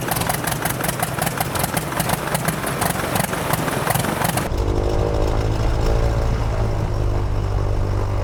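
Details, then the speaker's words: Light airplane piston engine on a second, flooded-start attempt with throttle full forward after flooding on the first try: rapid uneven cranking chuffs for about four seconds, then it catches and settles into a steady, even drone. "All right, starting it up, take 2. Flooded start. Throttle's full forward."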